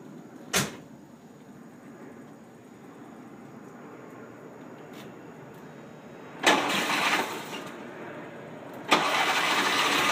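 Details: 1978 VW Super Beetle 1600cc fuel injected: starts, settles to a faint uneven shaky idle, then sharp throttle blips; rough idle and dies on acceleration, with a damaged AFM; gasoline sprayed into intake smooths it, suggesting a fuel/air mixture problem.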